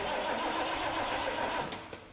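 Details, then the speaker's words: 1971 Ford Country Squire, not run in 43 years, after cleaning the battery cable connection and before the Dura Spark ignition is wired: the starter spins the engine steadily for about two seconds, turning over freely without firing. Normal cranking. "Heck yeah. We got to turn it over."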